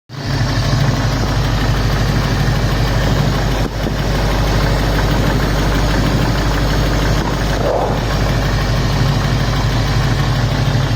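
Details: Ford 351 Cleveland V8 at idle: a deep, steady rumble with a light, quick ticking from the passenger side of the engine.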